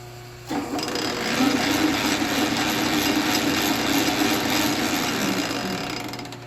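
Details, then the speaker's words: Vintage Sheldon lathe with the change gear train engaged: rough, gritty rattle with uneven clatter about four knocks a second; worn change gears, a replacement for one bought but not yet fitted and the neighbouring gear also worn. "not very pretty not very healthy"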